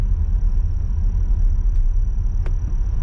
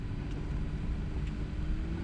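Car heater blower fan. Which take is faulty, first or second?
first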